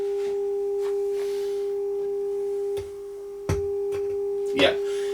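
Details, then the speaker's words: HMV 2400 Stereomaster amplifier after recapping, mode-switch cleaning and VT13 replaced with a BFY52: clean steady 400 Hz test tone with no hum, crackle or dropout after a long soak test; both channels working normally. "channels are still working this was on a test for about eight hours so i'm satisfied this can go back in the cabinet"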